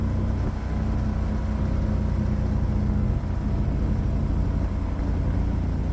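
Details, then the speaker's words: 1969 Renault R10, 1,800 lb, with a 25 hp 670cc Predator twin, new dual 24mm OKO carburetors and CVT, driving. Steady, even two-cylinder rumble pulling smoothly under load with no misses or knocks. Normal running under load. "I'll shut up and let you guys listen to The Glorious two-cylinder engine sing"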